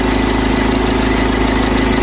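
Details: 2011 Skoda Superb 2.0 diesel, engine CFFB, ticking over with a steady rough scratchy rattle over the idle; the auxiliary belt tensioner pulley is worn and wobbling, and the tensioner is being replaced.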